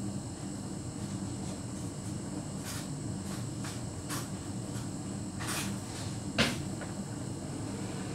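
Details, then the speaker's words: Hotpoint heat pump tumble dryer about 2 hours into a drying cycle: steady low drum hum with faint clicks and short hissy bursts during moisture sensing, after which the time remaining drops faster. Normal sensing sound. "Oh wait, that sound, it weren't to do with it cooling down, it's sensing. It senses when it makes that sound, and you'll see that clock go down a bit further, a bit quicker than it should."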